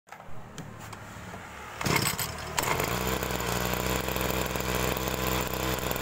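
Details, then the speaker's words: Agricultural sprayer small engine; picks up from low idle to a harsh, strained buzz that fails to rev cleanly, making an "ngok" sound on throttle; carburetor bog on acceleration. "nah itu tadi ya kasusnya karburator kalau digas itu berbunyi ng terutama kasus seperti ini adalah paling sering terjadi di mesin semprot seperti ini ya"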